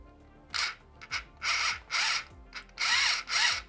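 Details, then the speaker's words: 1985 Tomy Chatbot robot, drive motor fed about 3 volts directly through corroded wiring: short bursts of high-pitched whirring each time power is applied. The motor spins up freely and works. "we got some signs of life good"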